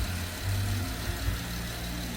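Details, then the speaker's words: 2013 Porsche Panamera just after timing chain replacement, first start: low, steady idle with even beat, no stumbles or knocks; timing correct, no misfires, no codes or leaks, runs cleanly. "definitely on time no misfires she sounds great"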